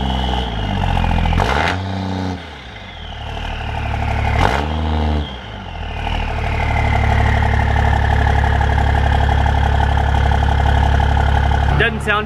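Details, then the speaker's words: 4th-gen Dodge Ram Cummins diesel with 2nd-gen swap, 4-inch exhaust to a 4-inch tip, fired up after the swap; cranks a few times, catches, then an even, steady diesel clatter at idle, no misses or knocks; normal start and idle. "sound just too bad. Don't know if I really like the 4-inch exhaust to a 4-inch tip."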